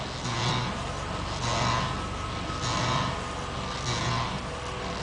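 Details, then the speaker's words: Passenger-side front wheel at about 2 mph going straight: a rough scraping swell returns about once a second with wheel rotation, worse at slow speed, not worse when turning; front wheel rubbing noise. "Okay, figure out this fucking noise, alright? It's from the passenger side front wheel."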